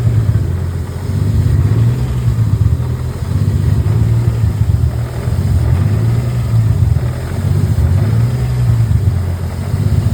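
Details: BMW M52 turbo engine on a Link G4X ECU, right after a firmware update: deep rumble swelling and sagging every two seconds or so, a hunting rough idle; cause suspected, not confirmed.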